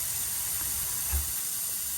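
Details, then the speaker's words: New 36,000 BTU mini-split heat pump install, refrigerant line port cap removed: a short steady hiss of leftover nitrogen escaping; the intact holding charge means the lines are sealed. "We like to hear that. Um, I'm not going to say you have a leak if you don't hear that, but every thing that I've ever seen and read, if there's not nitrogen that comes out, it's not a good thing."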